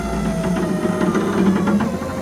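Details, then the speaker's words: 1982 Ford Bronco rear window electric motor humming and sagging in pitch as it bogs down going down, where the gear track tines are caked with dirt; going up is fine with spring assist; cleaned with WD-40 and brush. "you can hear it bogging down, and it happens right when it starts getting to all this crap here."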